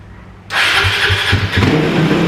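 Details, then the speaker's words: Kawasaki KLX450R, idle screw turned down one turn and fuel screw out to two turns: engine catches first try but revs stay high and won't settle to idle; sticking throttle tube. "ah it's the throttle tube that's getting stuck that used bikes at least it's uh at least it's warmed up now"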